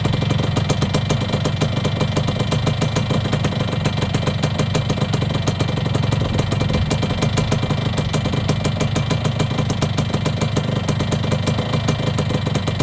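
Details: Yamaha YB100 two-stroke after fitting a new exhaust in place of the standard one: crisp, even idle with a steady rapid beat and no misses or rattles. Normal idle.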